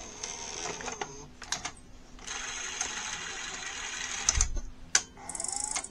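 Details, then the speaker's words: NEC VC-N65EU Super Beta HiFi VCR after repairing the loading switch and cleaning the oil-slipped cassette housing belt: whirring motor bursts and clicks as the tape is pulled in and seated. The loading cycle completes normally. "and you see now the switch is engaging by itself"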